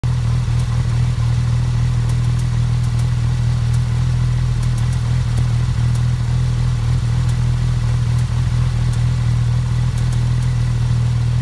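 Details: Porsche 991 GT3 engine at idle: steady deep petrol idle with faint, sharp ticks scattered over it; engine ticking at idle.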